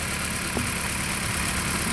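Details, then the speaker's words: 2008 Dodge Caliber petrol engine idling roughly with an irregular stumbling pulse; engine and downpipe to catalytic converter shaking; spark plugs already replaced, coils suspected next; misfire at idle. "Sounds like the car is misfiring."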